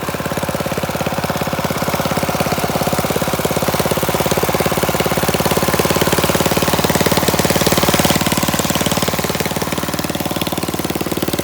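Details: Flathead Briggs single-cylinder minibike engine after carburetor mixture screw adjusted about a half turn out: fast sharp barking exhaust beat, steady with slight waver, no misses or surging; normal running.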